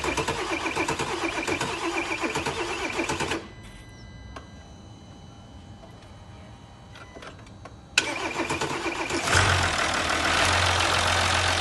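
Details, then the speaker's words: 2020 Mercedes S350 inline-six diesel after rocker arm knocking repair: cranks, catches quickly and settles into smooth even idle with no knocking; sounds healthy. "Okay, now engine's running, sounds nice and healthy, everything's put back into its place."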